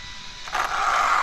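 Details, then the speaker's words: Arrma Infraction 6S BLX RC car, only when driving forward under throttle: thin high squeal or chirp rising over the motor whir; owner suspects debris in the drive shaft or gears, not confirmed. "Only happens when it goes forward. Probably something just got into the drive shaft or the gears in there."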